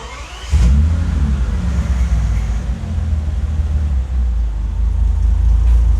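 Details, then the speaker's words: Bentley restarted after replacing the cylinder 10 injector and clearing the faults. It settles into a steady idle with no misfire and less vibration, yet still logs a cylinder 10 injector open-circuit code. "It does sound a little bit better. It doesn't misfire or jump around, but I still got fuel injector cylinder turn open circuit, but the car doesn't misfire."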